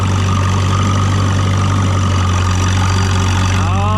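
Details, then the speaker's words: J.I. Case 730 narrow-front tractor, four-cylinder gasoline engine, in third gear pulling a Ford 230 disk through a vegetable patch: deep, steady drone holding even speed under load, no knocks or misfires; runs strong. "listen to that four-cylinder bar gasoline"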